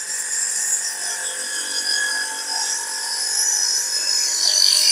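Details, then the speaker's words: Household water pump being bedded in with sand/mud during reassembly: high gritty scraping whine, loud then rising and easing, as the impeller rubs the pump head; tightened gradually until the noise quietens, for better pressure. "यह स्थापित करना विधि के कारण आवाज तेज है। इसमें वृद्धि हुई है। फिर यह धीमा हो जाता है।"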